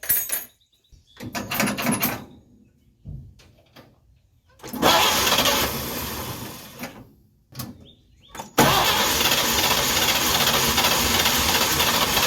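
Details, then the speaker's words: 1953 Chevy 3800 truck, fully rebuilt, after key left on and new points fitted: repeated bursts of steady cranking with pauses, no firing; fuel coming from the carburetor. "well a fuel coming out of the carburetor acts like it wants to fire it ain't one to fire"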